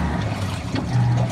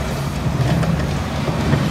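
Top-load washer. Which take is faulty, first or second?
second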